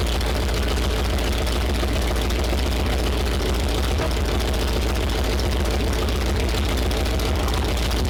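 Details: Freshly rebuilt Mopar 360 small block from a 1974 Plymouth Duster, first fire-up for hydraulic flat-tappet cam break-in: loud, lumpy idle, stumbling. It misfires badly and timing can't be set because two spark plug wires were swapped.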